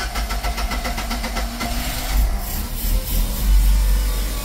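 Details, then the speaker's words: Westerbeke marine generator set started from the cabin panel after capacitor replacement for low AC voltage: a few rapid cranking chuffs, then it catches and settles into a steady, even run, pumping water well; healthy start. "Let's make sure she's still pumping water like she was before with low voltage. pumping good. It sounds good."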